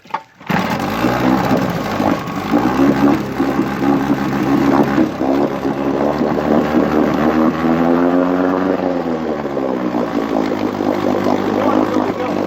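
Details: 1959 Johnson QD-20 10 hp outboard, first run in a water pail after cleaning the points and plugs (new coils, points and plugs found) and resetting the coil air gap, carburetor untouched: even, buzzy two-stroke drone, steady with slight rise and fall, running healthy.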